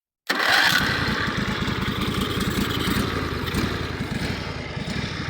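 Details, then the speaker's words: Countax tractor single-cylinder engine, with a little choke after fixing a bad ignition switch connection: catches after a brief crank and settles into a steady, even beat with no misses or knocks; starts and runs normally. "As you're going to hear, that's a really sweet running engine."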